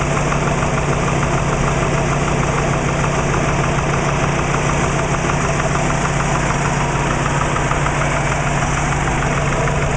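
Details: Subaru Legacy with WRX boxer engine at idle: faint, even knock under a steady idle. Owner suspects piston slap; unconfirmed.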